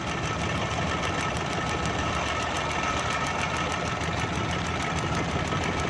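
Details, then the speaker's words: 2012 Suzuki Bolan misfiring on both CNG and petrol: uneven idle with a sharp snapping tick several times a second; a plug lead, its rubber worn through, is cut and sparking against the body. "ये वायर दोस्तों ये स्पार्क कर रही है, ये कटी हुई है तार बॉडी के साथ लग के। ये देखें, ये रबड़ खा खा के ये कटी हुई है।"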